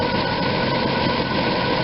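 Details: RV V8 idling after new plug wires and plugs installed; earlier cylinder #8 boot not fully seated arced on air cleaner, causing clicking/misfires. Now steady, even idle with no stumbles or surging, running much smoother and healthy.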